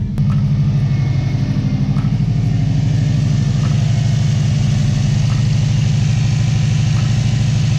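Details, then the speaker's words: Subaru Baja turbo, cold first start after VF48 turbo install, oil primed by cranking. Steady, even cold idle with a deep smooth hum and faint light ticking; normal cold idle. "Fuel pump's priming. We'll give it a start. Running."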